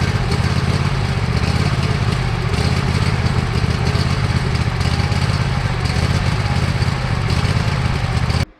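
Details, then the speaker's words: Badly neglected Cub Cadet lawn tractor engine on its old carburetor, before replacement; uneven rolling beat, speed wandering, loping badly. Smooths somewhat on partial choke, which owner takes as indication of a clogged main jet; hunting idle. "As you just heard, friends, it's loping quite badly. I can get it to smooth out somewhat if I run it on partial choke. That's a good indication that the main jet is clogged."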